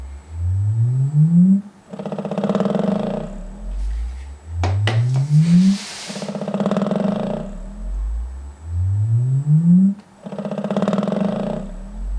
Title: Velodyne DD 15 rattling noise